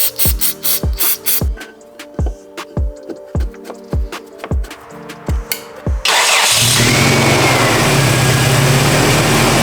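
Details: Toyota Tacoma: over music, engine catches first try and settles to an even steady idle, no stumbling. Normal start and idle.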